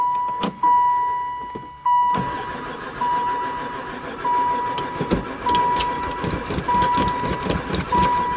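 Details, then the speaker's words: 2002 van that sat about 4 years, cranking with the battery hooked up and a chime ticking. Steady even cranking, never fires; owner unsure it has fuel, later suspects no spark. "oh she even cranks I don't know if this thing's got gas either"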